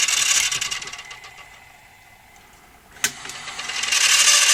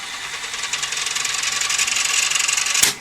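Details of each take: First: Toshiba V5470B Betamax video recorder, after greasing made no difference: thin high motor whir that sags and strains, with sharp clicks; still struggling to get enough torque to start rewind and unlace, unlace motor lacking torque. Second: Toshiba V5470B Betamax recorder, fast forward: even high whirr with a steady flutter of about four pulses a second, ending in a clean click; tape spools freely, healthy.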